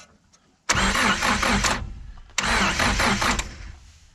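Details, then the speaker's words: 1973 Chrysler Galant left sitting 26 years in a paddock, distributor cap refitted, ignition on: two short cranking bursts, engine spins over but never fires; no spark at number one, coil 12-volt supply to be checked next. "no spark as is to be expected so now I'm going to check if the if the coil is getting 12 volts"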